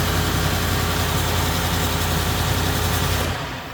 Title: Ford F150 5.0 on whining Noise on cold start